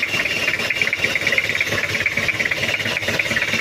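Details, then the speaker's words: 1997 Toyota Kijang diesel with head gasket seep and oil in coolant: idles low and uneven, beat wavering about twice a second with lumpy clatter and heavy vibration; mechanic suspects loose timing, a dirty diesel filter or air in the fuel. "RPM suaranya seperti ini terlalu low rpm-nya tapi ini menurut saya kayak timingnya kendor atau filter solarnya nya kotor jadi seperti kekurangan gas atau setengah Masuk angin"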